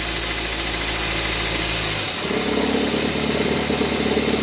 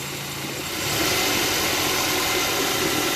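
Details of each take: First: Car at idle, smooth hum turning to rougher buzzing rumble when shifted into drive or reverse as the accessory belt tensioner shakes visibly; fixed by replacing the tensioner; worn accessory belt tensioner noise when in gear. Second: Petrol engine with a new accessory-belt tensioner idles evenly with a steady hiss and no belt squeal or rattle; the worn old tensioner spring had caused noise when engaging D or R.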